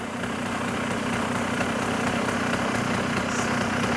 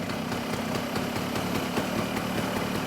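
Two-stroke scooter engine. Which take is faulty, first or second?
second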